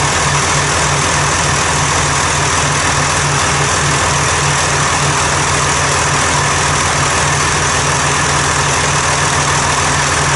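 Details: 1990 John Deere 3350 tractor diesel, first start after repair of a dropped valve and a long time standing: an even, steady rumble with a constant low beat and no knocks or misses. The engine runs smoothly.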